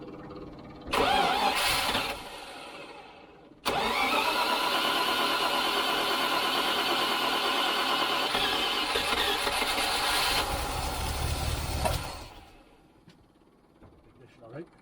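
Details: Range Rover V8, first start after ignition service, fed from a temporary external fuel tank with electric pump, in neutral: starter churns briefly, catches, then settles into a steady, even idle before shutting off; clean first start.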